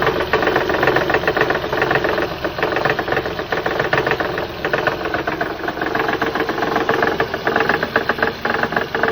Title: Honda Odyssey 2006 engine knock. It's not the timing belt tensioner.